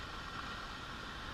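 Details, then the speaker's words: Arvin tube radio on a variac after replacing a defective 50L6 tube, line at 55–65 V, DC about 25 V: steady loud hiss and crackle unaffected by the volume control; owner suspects bad capacitors and resistors. "yeah you know my volume control is not making any difference at all in all this noise"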